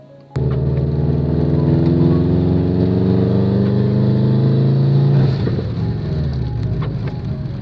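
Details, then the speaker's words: Subaru after the misfire problem was solved, involving spark plug cleaning: engine revs up cleanly with a smooth rising drone, no misfire or stumble, and smooth, linear power delivery before settling back. Sounds healthy. "Cuz now the engine revs up nicely, there's no misfire, there's smooth and and linear power delivery and all of that."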